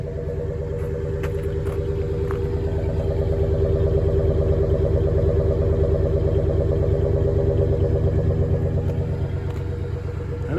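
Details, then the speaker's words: 1998 Ford F-150 V8 yard truck after eight new spark plugs: steady even low rumble with a smooth regular beat, no misses or knocks; idles cleanly, sounds good for an old truck; normal idle. "Well, it sounds pretty good. I've been using it as a yard truck."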